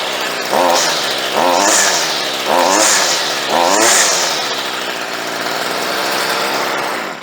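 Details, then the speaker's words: Stihl 55R two-stroke trimmer, probably unrun for two to three years, after carburetor low- and high-speed screw adjustment and idle turned down: four throttle blips, then a steady, even normal idle; now starts much better. "okay that sounds a little bit better sounds like she's idling about right too"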